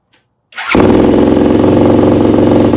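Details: Yamaha YFZ450 rebuild after carburetor jetting and idle screw adjustments, new float needle: single fires and settles into a fast, slightly ragged beat that never smooths out; poor running, cause still unknown, carb body not yet fully rebuilt.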